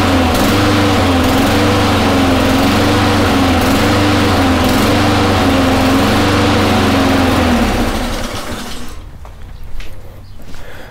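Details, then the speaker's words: Honda mower engine surging: pitch keeps swelling and sagging as the choke slowly opens; flywheel key checked and not broken, carburetor to be removed and cleaned. "as you can tell even though the choke is taking a sweet time turning off which is normal um it just wasn't saying to level rpm the surge is up and down"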